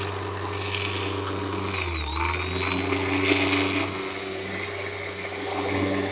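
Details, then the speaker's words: Bissell Lift-Off vacuum: high motor whine sags in pitch then recovers unevenly; motor struggling with no power, getting hot and weak. "yeah she basically uh struggling pretty bad here I gotta say it's on the worst walking back you've ever had I mean listen to it just like yeah yeah it's like no power at all"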